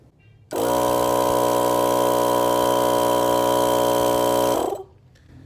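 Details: Portable air compressor newly mounted under the hood of a Jeep TJ in place of the washer reservoir, first test run after wiring: switches on to a steady buzzing hum at constant pitch for four seconds, cuts cleanly; running normally.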